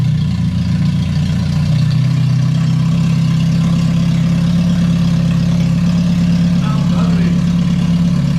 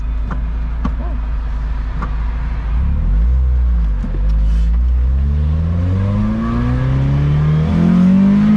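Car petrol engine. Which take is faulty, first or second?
first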